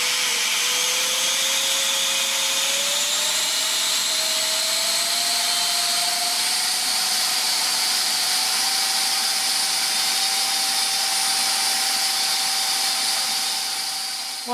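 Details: Steady high whine climbs then holds at full throttle over rushing airflow; SU-27 ducted fan on a so-called 100C pack, about 76 mph airflow both sides, motors judged fine, fan partly choked with grass.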